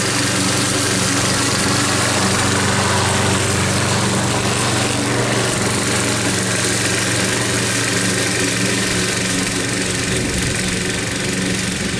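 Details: Troy-Bilt mower with a "Frankenstein" engine built from another engine's parts, after a new head gasket: cutting grass under load, with a loud, even drone holding steady speed, no surging or hunting; running properly.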